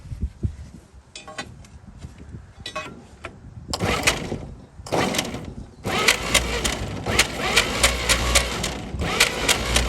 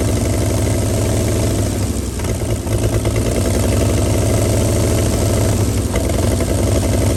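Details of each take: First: 1937 Chevy truck sitting about 45–50 years, new start button, cap and plug wires refitted: starter cranks in bursts, steady chug three or four beats a second, never catches; seems no spark. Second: 1937 Chevy truck inline six, sat about 45 years, rear end locked up, warming fast and boiling its water: low, even, smooth idle with no knocks or misses; normal idle.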